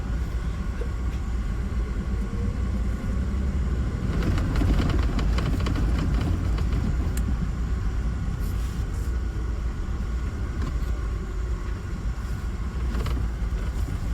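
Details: Mahindra Bolero Neo N10, left/conductor-side door, noise unresolved after two dealer visits: light irregular tak-tak tapping through road rumble while driving, a wiring connector knocking against the door's inside body.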